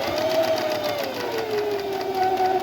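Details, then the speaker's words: Singer Heavy Duty 44S sewing machine, repaired with correct 15J bobbin and finger realigned to the spring, sewing again; fast even motor hum with light steady stitching patter, slight speed drift, no knocking or binding; normal sewing. "A lot of people always say, I can't get it to sew, and now we got it to sew again"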